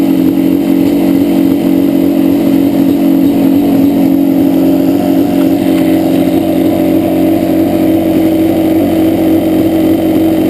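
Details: 2-stroke twin Yamaha Banshee idling rough, left cylinder misfiring so it runs on one; pipe not even warm at idle. Carbs rebuilt, balanced, air screws adjusted; misfire does not follow the plug, cause unknown.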